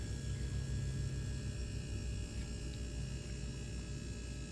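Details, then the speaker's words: LG refrigerator, conventional compressor installed the day before, during an R134a recharge: steady low hum with faint mains buzz, even and unbroken; the compressor runs normally, the condenser coils heat to about 100 degrees and the fridge cools. "It's getting pumped by this compressor that was fully installed yesterday."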